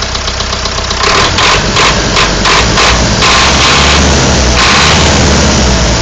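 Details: Warm engine started after standing: catches and settles to idle with a loud, loose rhythmic knock about three per second; engine knock, cause not found.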